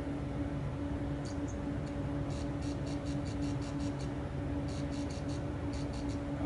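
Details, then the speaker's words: Newly built Weber 6A14 tube guitar amp kit taken off standby: faint steady tube buzz with no speaker output, because the lead to the test speaker had become disconnected. "i hear a lot of buzzes in the tubes the amplifier i can hear the tubes buzzing but i can't hear my speaker so is my speaker messed or is it disconnected or quiet"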